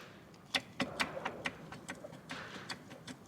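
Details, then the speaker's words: Audi S3 engine stripped and stopped: sharp metallic clicks about twice a second as the cylinder two connecting rod is rocked by hand, with about 3–4 mm of play; that rod bearing is gone. "hear that there is if you can see it as well look if I push it there's about three or four mil movement so yeah Batman's gone"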